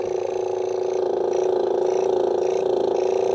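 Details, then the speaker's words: Vintage air pump switchable 12 V DC or AC, run on AC after warming up, hoses likely hardened: steady mid-pitched buzz pulsing about four per second, tone changes at outlet; sounds unloaded, not pumping much air, weak output, cause unconfirmed. "you can hear the tone change it's not really pumping much air"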